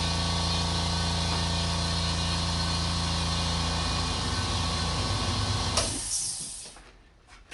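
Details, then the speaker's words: California Air Tools 8010ALFCAD ultra-quiet oil-free 8-gallon aluminum-tank air compressor, rated 60 dB: soft steady motor hum, even low drone, no knocking or rattles, then winds down; running normally and quietly. "At just 60 decibels, you can hear yourself clearly. You can have conversations with all those around you."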